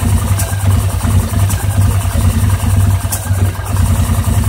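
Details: 2009 850 XP at idle, still rough after throttle cable adjustment and repair of mouse-chewed exposed wiring, cause unknown: idle surges and stumbles with a sharp pop roughly every second; rough idle with misfire and backfiring.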